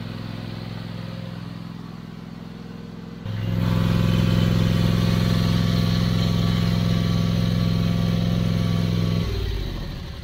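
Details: Toro TimeCutter 5060 zero-turn mower after an oil change with fresh oil topped up: fires at once, holds a smooth, even drone for about six seconds with no knocks, then winds down; healthy start and running.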